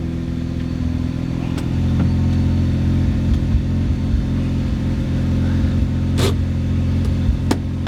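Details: Mazda FD RX-7 rotary after a 3-month interior restoration and long sitting: deep, smooth rotary burble with light throttle blips and no belt squeal, normal running.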